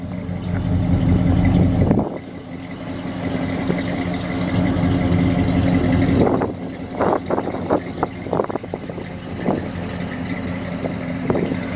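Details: Chevy 305 5.0L V8 with dual exhaust, after new plugs tune-up fixing sluggishness: deep even rumble picking up cleanly on throttle, no misfire or stumble; running smooth and healthy.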